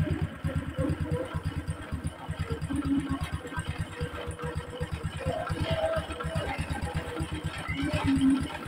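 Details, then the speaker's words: Honda Supra X 125 after replacing clutch bell and centrifugal clutch shoes, tappet cover refitted and oil refilled: quick even idle putter, no knocks or clatter; smoother than before, normal idle. "Dan di sini kita dengarkan ya teman-teman, suara lebih halus ya dibandingkan suara sebelumnya."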